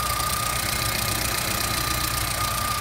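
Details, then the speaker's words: VW Golf 1.6 that was overheating, after belt work with throttle body position reset: settled, even idle with steady rumble and no oscillations; normal stable idle. "a marcha lenta ficou muito bem estabilizado o carro não tem ele está tudo bacana não tem aquelas oscilações"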